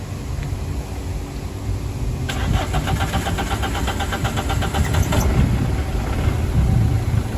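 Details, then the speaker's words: 2002 Citroen Xsara Picasso with over 500,000 miles, started after being washed: long crank with a steady whirring beat for a couple of seconds before it just catches and settles to a low idle; hard, reluctant start, cause not confirmed. "it starts just about"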